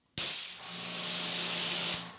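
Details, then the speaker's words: Big Boi Washr Pro 20 amp electric pressure washer spraying: steady loud hiss with only a faint low note and no motor hum underneath, unlike an earlier version that hummed; normal running, no motor hum. "Wow. Not having that hum is kind of a weird feeling."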